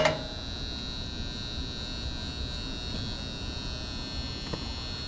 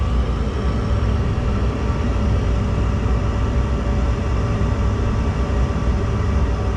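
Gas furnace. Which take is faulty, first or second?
first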